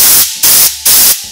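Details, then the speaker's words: Land Cruiser rear ARB air locker, diff opened: three sharp hiss bursts as air is pushed into the line, escaping from a damaged copper locker pipe worn through by poor fitment; air leak. "now as you can imagine this is quite an obvious leak and i found it just by pushing some air in here"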